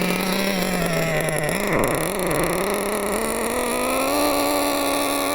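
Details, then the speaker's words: Nitro RC car engine at full throttle while turning the high-speed needle: screaming pitch dips then climbs as it frees up, gaining power but still rich, flat and sluggish to take off. "Now we're getting more power. rich, sluggish to take off, but we can fix that."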